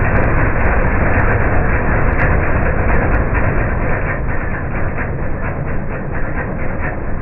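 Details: MTD 5 hp chipper/shredder, owner guesses 1990s-built, running after carburetor kit fitted: small engine pulls hard and steady, rhythm sagging slightly as wood feeds in, then holding on; normal operation under load.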